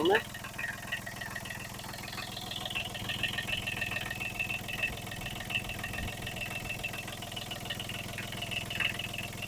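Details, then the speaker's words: Kubota B7001 tractor diesel, first start after replacing failed alternator that caused metallic noise, smoke and belt squeal, plus new radiator hoses and G11 coolant: quick crank and catch, then steady evenly pulsing idle, no scraping or squeal. "There are no more noises at all. The engine is working perfectly."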